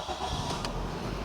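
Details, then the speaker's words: Toyota Soluna GLi 2000 automatic, automatic transmission oil check good, no warning lights disabled: short crisp catch, then settles at once into a low even idle with no stumble; clean, healthy engine start. "Masih jreng banget, enak banget suaranya pas start engine-nya."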